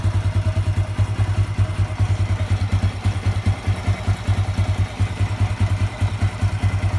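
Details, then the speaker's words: Honda Revo 110 (old Revo "jangkrik"): steady, even low thump at idle, two or three beats a second, no knock or rattle; smooth, healthy. "Nah untuk yang lain ini kita bunyikan Oke halus banget untuk suaranya"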